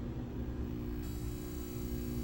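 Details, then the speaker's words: PSone console from a fire-damaged, filthy unit with screen flipping top to bottom: constant low flat hum with no change in pitch or level. "Listen to that. Okay. Okay, we're gonna have to open this up. Yep. There's something real funky going on there."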